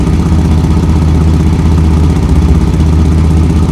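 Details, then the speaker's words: 2004 Chevy Blazer, hot engine idling after replacing broken splined muffler bolt, leak not fully fixed: loud raspy idle with uneven low puffing from the failed muffler gasket; exhaust leak at muffler gasket. "pretty noisy cuz that gaskets gone in there"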